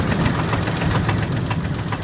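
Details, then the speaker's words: Salvage auction vehicle idling roughly and misfiring badly: sharp metallic tick about seven per second over the engine rumble, not heard when revved; speaker doubts rod knock and wonders if it is an accessory, unconfirmed. "Is that a knock? Or is that an accessory? I don't like that. I don't like that at all. That wind is kicking. That doesn't sound like a rod knock to me."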